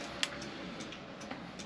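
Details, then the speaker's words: Ducati Monster 600 project bike, key turned on after reconnecting battery: soft light clicks repeating every fraction of a second; turn signal flasher ticking normally. "so our turn signals work that's already a big one"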